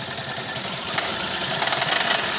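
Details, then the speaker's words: Toyota Prius C/Aqua hybrid after a fender bender, P0171 system too lean, check engine light on: harsh, uneven idle with loud tinny rattle and heavy vibration; rough idle, cause not yet confirmed. "so you hand a vehicle like making a loud rattling noise and it's also vibrating heavily"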